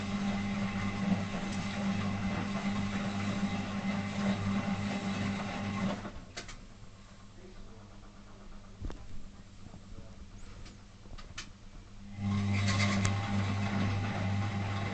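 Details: Zanussi FL1012 washer on Program D (Fast Coloureds Heavy Soil, 60 degrees): a rough, gritty grinding hum that drops out mid-wash, then returns. It has worsened over several days and doesn't seem to come from the drum; the owner is unsure whether it is worn brushes or the motor.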